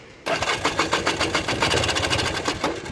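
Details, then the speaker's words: 1994 Polaris 400L 4x4 ATV: starter cranks with fast uneven chugging for a few seconds without catching; hard starting, owner suspects the ignition coil. "leave that fuel runner for a second and let's see if you'll start right here she may or may not cuz that's part of my issue here"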